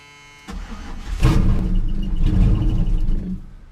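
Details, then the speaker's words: Chevy C10 pickup sat about five years in a pasture, previous owner reported engine knock, first start on carb cleaner primed down the throat: cranking catches into a short rough roar about two seconds then quits; fires on prime but won't keep running, no knock heard. "she's trying okay I'm gonna go squirt a little more fluid down the throat we're on the right path though and it did sound a little weird but I didn't hear any knocking yet"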